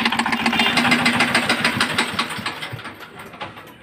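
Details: Engine with broken air cleaner filter piece pushed into cylinder, trapped between piston and head: hard rhythmic knock about three per second while running, fading as it slows; engine tight and jamming.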